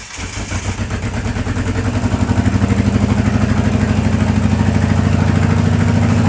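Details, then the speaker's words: DSM car first running in years after wiring its own harness: catches into lumpy loping idle with uneven beat, like one cylinder dropping out; owner suspects it's firing on three of four cylinders. Rough idle, suspected misfire. "lot of people said it sounds like it's missing maybe it's uh not firing on all four cylinders sounds like it's probably it sounds like it's probably firing on three"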